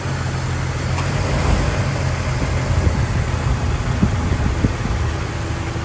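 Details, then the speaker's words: Warm 2000 Jeep Wrangler TJ Sahara, stock, automatic, 122k miles, just driven: low, steady, even idle rumble with no knocks, ticks or misses; healthy idle. "So let me crank her up for you, and you can check out the engine and see how it sounds."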